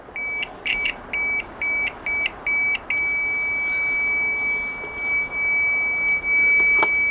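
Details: Chinese multimeter continuity tester after its weak stock buzzer was replaced with a louder microwave-oven buzzer: six quick, loud, high-pitched beeps then a steady tone as contact holds; loud continuity beep, working normally.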